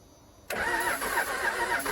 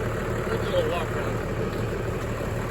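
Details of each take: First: 1996 Dodge Ram 2500 12-valve Cummins diesel, sat seven years, cranked after a shot of ether; starter spins it at a steady rhythm but it never catches; fuel lines drained out; crank no start. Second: 1996 Dodge Ram 2500 Cummins 12-valve diesel sitting seven years, started after priming via lift-pump primer: deep, steady low diesel clatter at idle, no misses or knocks; normal cold idle.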